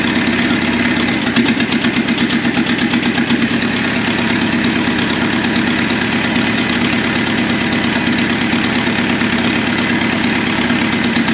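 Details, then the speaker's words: VW Caddy turbo diesel engine swap: rough, uneven idle with sharp rattling ping over the clatter; cracking the injector lines loose changed nothing on two cylinders, so those two are dead from failing injectors while the injection pump delivers fuel strongly. "So we've got two unhappy injectors. If you notice, what I did there was actually crack those lines loose, and this one did absolutely nothing. So that tells me we're short those two cylinders, pumping fuel really strong to them, so I think our injection pump is okay."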